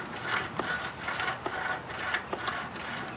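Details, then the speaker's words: Craftsman riding mower (about 2010) with a 19.5 hp Briggs & Stratton single-cylinder engine, turned slowly by hand with the shroud on: uneven scrapes and light clicks about once a second, a loose flywheel magnet rubbing. The fix was re-gluing the magnets. "something in there is rubbing or making noise, and I'm starting to think there's something going on inside this engine that needs our attention."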